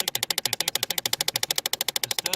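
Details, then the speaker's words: 2008 Chevy Impala, key on: rapid even plastic ticking under the dash from the driver-side HVAC blend door actuator, stuck on full cold, ticking when temperature is moved from cold to hot. "all right so we are working on a 2008 Chevy Impala and it's got a really bad noise when you turn the key on coming from the HVAC system"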